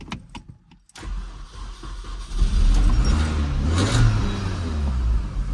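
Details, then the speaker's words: Mini Cooper S R53 1.6 supercharged (later Teflon-coated supercharger), off the road since the pandemic and due a service: fires after a short crank, then revs cleanly with a deep steady note and pops and bangs; the engine sounds healthy. "yeah look you know what it doesn't sound horrific you rev it it sounds good get all the nice pops and bangs so the engine is the least of my worries"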